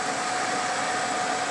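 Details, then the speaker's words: Suburban SF-30 RV furnace after repair (new Dinosaur UIB-S control board, ignitor, sail switch), reinstalled, propane reconnected and leak-checked, thermostat set to heat: smooth, even rushing air with faint steady hum, no rattle or scrape; blower running normally before ignition. "I'm just gonna turn this on to heat okay it's firing up"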